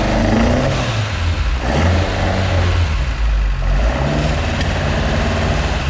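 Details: Mk2 Ford Escort with Pinto engine, first start, carbs only mildly set up just to run: it surges up on a blip and settles into an uneven, hunting, lumpy idle with rough low thumps, because the carburettors still need setting up.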